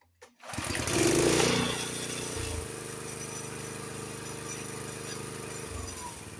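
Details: Honda HS724 snowblower engine after choke adjustment and setting the idle and fast throttle with a tachometer (fast throttle had been about 3800 rpm), fires after a brief crank and runs steady and even at speed without surging; normal running.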